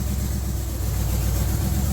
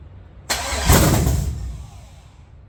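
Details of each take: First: Budget G-body El Camino with a Gen 3 LS engine on a $90 Amazon standalone wiring harness, running after a ground fault, probably from wires scraping the firewall hole: deep, even V8 burble at idle, no misses, stumbles or hunting; normal idle. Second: LS 5.7 V8 in a G-body El Camino on a budget Amazon Gen 3 harness: three bursts of steady cranking, the engine never fires; crank no start because the injector ground on the back of the engine was never connected.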